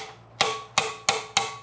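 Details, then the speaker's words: 1973 Mercedes 450SL R107 M117 cylinder head, sat about 26 years, disassembly: four sharp hammer taps on valve retainers give a solid dead clunk instead of a loose rattle, so the valve keeper is stuck. "That see that's that's stuck basically. So this sound here that's a solid clunk. That's that's basically stuck."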